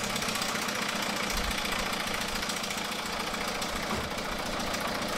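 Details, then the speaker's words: 2009 MINI Cooper D R56 PSA diesel, 136,000 miles, reported top-end failure, recorded with telescopic microphone in engine bay: light uneven tapping over idle from top end. "let's see what we can hear says they've definitely got a nice tapping there"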